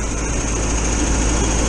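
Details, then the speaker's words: 1973 VW bus engine with electronic ignition idling: steady even buzz running noticeably fast, a bit more than wanted; high idle, slowed with the throttle screw. "Yeah, she's whizzing over now, you can hear her. Let's go have a look. Yeah, that's whizzing over now. Just a little bit more than I want, so"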